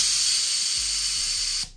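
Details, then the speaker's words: Autoclave sterilizing tattoo grips, about 4 minutes 25 seconds into the cycle: a loud, steady steam hiss for about a second and a half, then a sharp cut-off. Pressure on the gauge drops as the safety valve releases normally, then builds again. "and then it goes down when steam is released right there through the safety valve. As you see, pressure is building."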